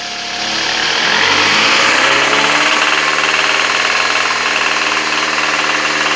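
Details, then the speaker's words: Toyota Camry 40 engine, idle good but knocks when revved, often mistaken for cam phaser; stethoscope at sump with car running: hard metallic knock about four times a second, loudest at the sump; spark plugs being removed to confirm. "вот сейчас снимаем свечи чтобы определить точно что у нас стучит в этом двигателе потому что этот звук постоянно путает"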